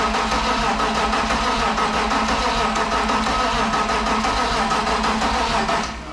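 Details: BMW E46 with a freshly swapped M52 turbo engine: steady, even starter churn at about three beats a second for six seconds, never catching, then winding down. Cranks but won't start.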